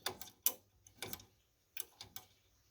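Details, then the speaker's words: Arcade game coin slot microswitch: short crisp clicks, some in pairs, as the normally open switch trips, closing the circuit to register a credit; a normal, healthy switch. "That closes the circuit, and that registers a credit on the game."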